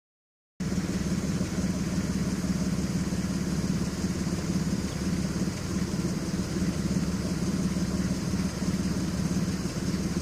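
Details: Audi A6 C5 2.7 biturbo misfire at idle on bank 2 (driver side): an uneven, stumbling exhaust beat. Coils and plugs were replaced, modules swapped and compression checked. There is an occasional camshaft position sensor fault, plus catalyst and lambda codes.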